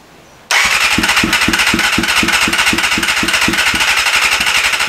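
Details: 1988 Kawasaki ZXR250 four-cylinder after a flooding backfire, started with choke and a little starting spray; starts cleanly, idles uneven and lumpy at about four pulses a second; owner guesses it's running on 3 cylinders, choke not working; suspected, not confirmed.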